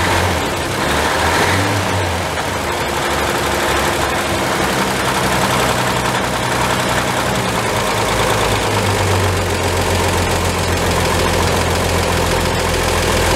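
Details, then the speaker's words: 1949 Chevrolet 3100 pickup, worn 216 inline-six (head rebuilt ~21,000 miles ago, bottom end likely 120,000+ miles), cold idle after distributor reassembly: uneven loping beat with knocking underneath; owner suspects worn bottom end, compression maybe under 90 psi, untested. "So the blow by is not really apparent right yet because it's not warmed up."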